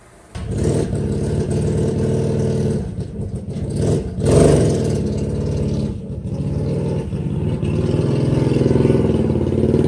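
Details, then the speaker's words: Vehicle with an aftermarket exhaust pipe making high-speed passes in a canyon: hard revs, then sharp gunshot-like cracks as the throttle closes. The exhaust pops on deceleration, attributed to the baffle. "Point being is, I noticed there's something pretty interesting about this video, is when I go flying by the camera, you will notice as I let off the throttle, it sounds like gunshots because of the baffle."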